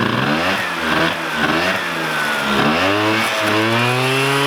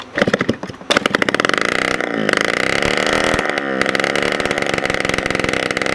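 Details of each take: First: 1987 Honda Aero 50 two-stroke scooter, first start of restomod: buzzy revs rising and falling smoothly with throttle, crisp and even with no misfire or rattle; needs a little throttle to hold idle until idle screw is set; normal running. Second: 1987 Honda Aero 50 scooter, first start of restomod after carburetor cleaned and fresh gas, kickstarted with muffler removed: very loud, sharp popping crackle at low idle, revs surge and sag struggling to hold steady idle.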